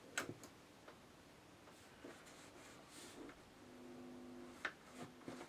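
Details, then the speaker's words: Eagle RAD 20W radio, just reinstalled in its cabinet after the back of the board was cleaned. The switches give crisp, isolated clicks with a short steady tone between them and no scratchy crackle, so the switches now operate clean. "Switches don't crackle now."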